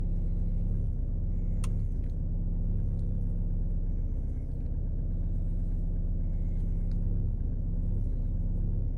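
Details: 2018 VW Passat B8 Alltrack 2.0 TDI 4motion at cold idle, only in cold weather with a cold engine: a steady low diesel rumble with a faint uneven pulse underneath; rough cold idle, cause unknown.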